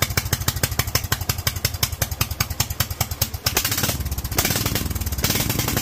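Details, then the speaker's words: Kohler single-cylinder engine with Honda carburetor running the methanol jet kit, revved into the upper 2000s plus: blubbery, heavy thumping rev with pitch-black smoke, running far too rich. "foreign well that pitch black smoke tells me that she is running way too rich so meth level kit was too much it was idling a little bit better"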